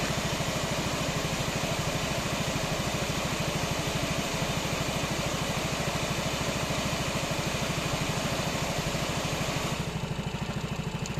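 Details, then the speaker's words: 2016 Yamaha Xmax 250 after fitting a used original exhaust of the same model: an even, steady single-cylinder idle at about three beats a second, with the cooling fan whirring; it runs normally. "Evet motorumuz fan açıyor ses ne kadar geliyor bilmiyorum ama gayet böyle durana kadar çalışsın"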